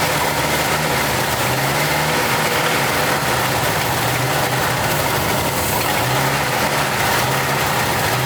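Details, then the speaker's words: 1989 Jeep Wrangler YJ 4x4, manual, revived after 12–13 years sitting: uneven, lumpy idle with stumbling beat under steady engine noise; seemed to run on two cylinders, two spark plugs later found cracked through. "So, yesterday I was speculating with my brother that it sounded like it was running on two cylinders. Turns out probably the case. These two were cracked all the way through."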